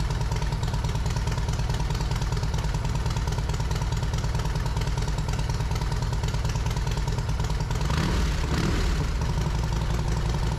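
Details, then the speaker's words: Yamaha Road Star Silverado 1700 V-twin after fitting new OEM ignition coils, plug caps, wires and spark plugs, slightly cold: steady loping idle, no misses or rattles, slight change near end; normal idle. "had the choke all the way off there bike's still slightly a little bit cold for that but the bike seems good"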